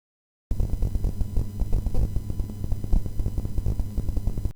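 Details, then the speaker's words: AMD Athlon K7 700MHz PC on Lucky Tech P6K7A motherboard, faulty onboard audio chipset: loud chaotic buzzing and clattering from line out and speaker output while idle; chipset disabled in BIOS, replaced with an old ISA sound card. "the audio chipset i disabled because i've tried to install windows on the machine before and there's something wrong with this chipset sitting on idle this is the sound i have from the line out and speakers output"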